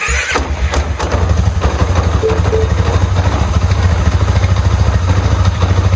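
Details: 2009 Polaris Sportsman 550 XP, brought in for clunking and lurching in gear, after fitting a new, stiffer clutch spring in place of a collapsed one: it fires up and settles into a low, thumping idle at about two beats a second, with no grinding or clatter.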